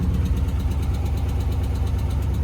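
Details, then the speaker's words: Damaged Dodge Challenger SRT 392 V8 at Copart, check engine light on, was smoking: deep steady idle with faint light tap underneath; motor suspected blown by hard driving, unconfirmed. Ticking at idle. "Yeah. You hear the little motor, got a little tap in it. Y'all hear it?"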